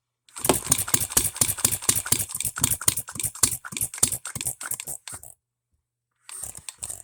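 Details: Economy hit-and-miss engine, new shop-made piston and rings: sharp, uneven firing pops about two per second that briefly cut out; ignition timing advanced too far, firing a lot sooner.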